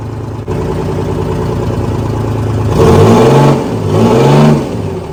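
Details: Detroit 653 two-stroke diesel in a Kenworth/RFW 6x6 off-road garbage truck, after sitting at least four years: steady idle with two clean revs that rise and fall evenly, no misses or knocks; runs quite well.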